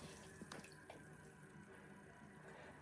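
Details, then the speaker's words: RV toilet with a foot pedal flush: quiet rush of water with drips and gurgles as the pedal opens the valve; normal flush. "toilet just a regular foot plush bullet so push your pedal down like so"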